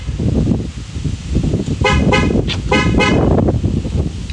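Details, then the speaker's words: Chevrolet Impala after replacing the door lock actuators: a few short, clean horn chirps as the doors lock; all locks now lock and unlock normally. "all right so i'm all done with the lock actuators now all of them open i should say lock and unlock"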